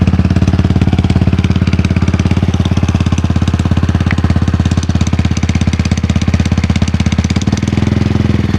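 Steady sharp ticking, about three or four a second, rides over the cold idle; a clicking from the primary side, cause unclear.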